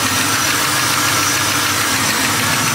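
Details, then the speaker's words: 1973 Impala small block Chevy 406 V8 warm idle around 160°F, valves already adjusted: fast light ticking on one bank, louder as the engine warms; valve train tapping, cause unconfirmed. "uh you start kind of hear like a little tapping noise coming on this side of the engine and uh and as the engine warms up it kind of gets louder and louder"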